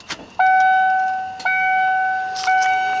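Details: 1995 Ford F-150 with EEC-IV computer, key on, engine off: steady high fuel-pump whine keeps running after each key-on click instead of a one-to-two-second prime, later starting to act normal; early sign of failing computer.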